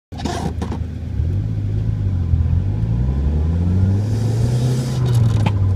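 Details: Dodge SRT-4 Neon while driving: low humming/whining harmonic drone whenever the steering wheel is turned any amount off center, rising and falling with road speed; owner suspects a bad wheel bearing, not confirmed.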